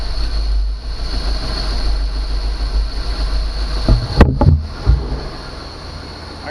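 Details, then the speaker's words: 1991 Chevy Caprice V8 auction car, freshly revived after running out of gas: deep steady rumble with quick throttle blips rising and falling cleanly, no knock or misses; smokes a little. "let's try revving it up this thing sounds awesome oh it smokes a little bit"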